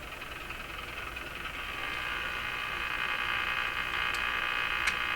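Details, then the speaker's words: Radio receiver on slightly reduced mains (about 105 V) during IF transformer alignment with a BK 3030 sweep generator: steady hiss with a fast chuffing pulse about four per second, believed to be spurious signals from the signal generator. "Okay, so the huffing and chuffing and all that stuff, I think are just kind of spurious signals coming out of my signal generator."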